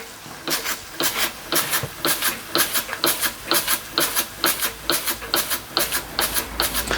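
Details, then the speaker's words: Empco B-43 model steam engine running on steam: sharp regular knock about twice a second over steam hiss; crank loose in the holes of its crank support. "knock, you can hear there's quite a lot of slop in the crank. It is quite loose in the holes in the crank support, so that's why you get that knock."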